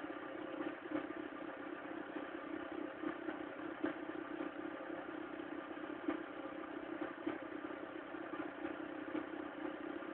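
Cold engine idling with an uneven clattery tapping, roughly four irregular ticks a second over a thin hum; something's off when cold.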